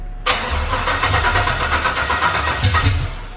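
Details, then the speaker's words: LQ9 6.0L swap with LS3 heads, TBSS intake and long-tube headers, first start after months of sitting: steady cranking without catching or firing, even with a jumper attached and O2 sensors plugged in; battery suspected weak from sitting, not confirmed. "Uh seems like the battery's just dead from sitting so long."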